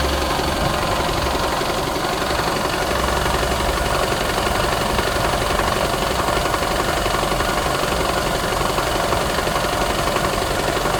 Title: Rattle noise 2017 camry se, any idea what is making the noise? Engine mounts & belt tensor replaced!